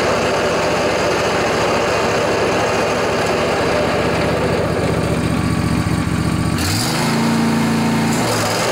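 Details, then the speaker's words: John Deere LA145 riding mower, 48-inch deck, Briggs & Stratton twin Intek, cold morning about 35°F: with blades engaged, a rough gritty roar over the engine, much louder than usual; worn deck spindle bearings, later replaced. "the customer says it's been making a lot more noise when he turns on the blades so I suspect we have a deck problem"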